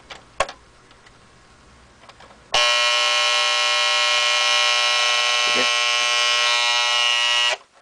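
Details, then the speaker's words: Restored 1958 Motorola five-tube table clock radio (Model 5C18BW, also listed as 5C15BW), alarm set for 9:00 in buzz mode: a loud, steady, raspy buzz holds about five seconds, then cuts off cleanly; the normal alarm buzz is working properly. "now this is the normal Buzz alarm not the clock coming"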